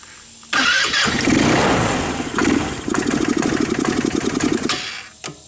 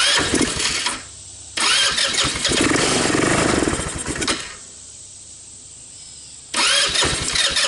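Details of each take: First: Older Tao Tao Bull 150 ATV, a non-starter with stale gas, cranked after spraying the airbox: short crank, then the single cylinder catches and runs raggedly for seconds; it starts. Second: Tao Tao Bull 150 ATV with stale gas and trashed carburetor, started on starting fluid: catches and revs in short bursts, then dies; runs only on the fluid, carb drawing little or no fuel despite fuel reaching it.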